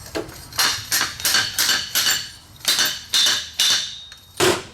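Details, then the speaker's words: 2011 Suzuki V-Strom 650 (DL650) fork rebuild, driving the fork bushing with a 43 mm seal driver: repeated metallic strikes whose ring turns to a higher-pitched ting as the bushing fully seats. "that changed, that sound went ting, higher pitch. That's that bushing finding its home where it needs to go."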